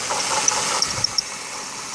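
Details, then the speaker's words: 2006 Ford Taurus 3.0L Vulcan at about 130k miles, idling: high, hissy chirping over a quiet idle with grumbly noise near the passenger footwell; water pump dry with no weep-hole leak; replacing the pump cured it; water pump bearing chirp. "So anyway, so if the rest of the world out there that tried to look up bad water pump bearing noise, that's kind of what it sounds like."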